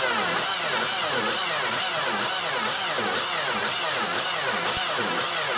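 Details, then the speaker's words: 2002 Mini Cooper 1.6, starter and battery already replaced, cranks very slowly: about two heavy labored compression pulses a second as the starter drags the engine, with 300-400 amp surges, from a seized alternator loading the crank. "the starter was replaced and the battery was replaced before it came to us and it cranks very slowly"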